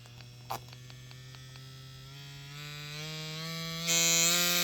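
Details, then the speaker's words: Ambition Ninja Pro tattoo machine with voltage raised to its 12 V maximum. The hum climbs steadily, then jumps to a harsh, buzzy high note; the machine cannot cope with 12 V and is struggling at top speed. "собственно спрашивается вот за на кой черт делать такие скорости то есть если машина не вывозит 12 вольт зачем вы делаете эти 12 вольт"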